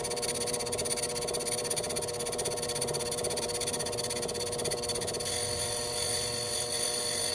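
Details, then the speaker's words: Lathe facing a bench block, not yet flat: high chattering scrape pulsing about twice a second, then smoother; interrupted cut where only part of the face is in contact. "You can hear that sound difference when it's interrupted cut versus a solid cut."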